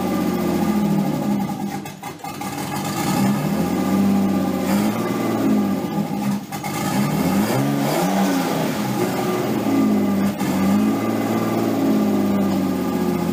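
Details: Nissan 240SX S13 with swapped RB20DET, first start after a crank angle sensor repair: fast idle well above normal with a few throttle blips, otherwise smooth; idle way too high, owner suspects slight oil burning, idle and AFR still to be set.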